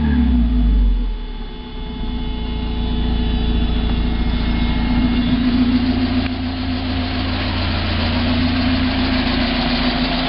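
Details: 1990 Mazda Miata at idle: a repeating tap three to four times a second over the engine drone, which separates from the hydraulic lifter tick when accelerating or decelerating. It persists with 93 octane fuel, so it is not pinging; source unidentified.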